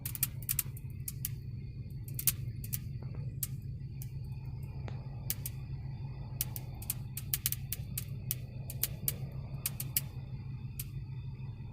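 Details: Brand-new 2019 Honda Odyssey Elite minivan with several electrical faults: sharp, irregular pops and clicks in clusters over a low cabin rumble; the dealer found no cause after two visits.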